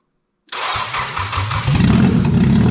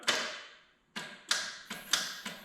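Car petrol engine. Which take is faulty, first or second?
second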